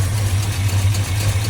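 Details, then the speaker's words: $100 Chevy 350 in a 4x4 1972 Chevy truck, first run in about 15 years, valve covers off, improvised fuel feed, poor carburetor: deep uneven V8 rumble wavering and stumbling at idle; rough running, needs tuning and a proper fuel system. "Yeah. That definitely needs some tuning and probably a proper fuel system."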